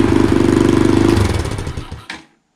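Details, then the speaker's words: 2020 Boom Vader Grom-clone single, first start, aftermarket Mikuni carb kit, eBay exhaust, emissions delete: rapid even popping at roughly 25 beats a second idling about 3,000 rpm, a little high, then switched off. High idle speed. "so i think it's either a little high i might lower the idle on it but overall guys sounds really good i am really excited idling at about 3 000."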